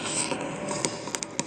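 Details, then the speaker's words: Projector on HDMI input 2, with the same result on a second HDMI cable: irregular sharp pops and crackles, four or five in under two seconds, over a faint hiss from the audio output; faulty HDMI port suspected. "Hi, I'm filming this video to show you the pops and crackles and what happens when I do various things."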